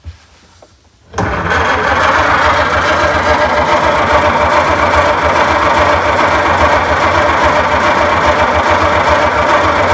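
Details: 1926 Oakland engine after completing the oiling system, 28 psi oil pressure, first cranking since 1946 with a newly installed battery: starter spins the engine at an even pace, about four pulses a second, with no grinding; normal cranking.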